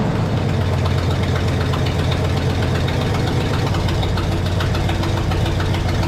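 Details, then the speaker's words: 1972 Pontiac LeMans V8 that sat for years, idling with the fuel hose kinked off: deep, steady low rumble with a rough, uneven chuff underneath; possibly not idling on all eight cylinders, or it may only sound that way because of an exhaust leak. "that's looking pretty good now definitely not idling on all eight but it is idling or at least it doesn't sound that way cuz of the exhaust League"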